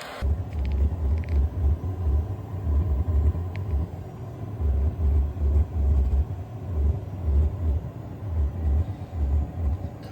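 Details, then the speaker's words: Vevor diesel heater just turned up to setting 4 and igniting: deep rumbling growl swelling and fading about twice a second, quieting as it heats up. Cause unconfirmed; owner suspects spilled fuel or oil under the tank. "Kind of has a growl to it. Sounded like it ignited."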